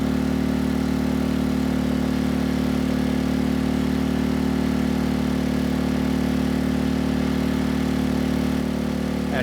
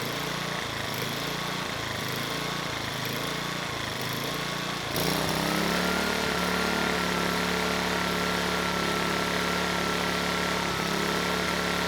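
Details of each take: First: Sportsman GEN2200DFI dual-fuel inverter generator (Yamaha MZ80 clone), revived after a replacement ignition coil, carrying a 1500W load: a steady, even hum with no surging, misses or struggle. It runs normally under load. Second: Sportsman GEN2200DFI dual-fuel inverter generator (Yamaha MZ80 clone), just revived, Eco switch on: engine note hunts up and down about every second, steadier and higher with Eco off; surging, clogged carburetor pilot circuit suspected.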